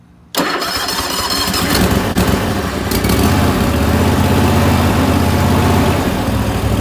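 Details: Restored Wright Stander X mower: it cranks, catches almost instantly and settles into a steady, even run with no knocks, misses or rattles, so the engine sounds healthy.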